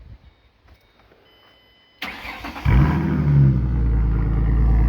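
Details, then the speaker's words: 2007 Ford Mustang, likely actual miles, straight pipes after the catalytic converters into a Y-pipe, no mufflers; short crank, then a loud, deep, raspy unmuffled rumble and revving; loud straight-pipe exhaust. "a good rev she sounds pretty bad that's straight straight cadillac converters no exhaust to a y-pipe out the back it really sounds pretty cool actually"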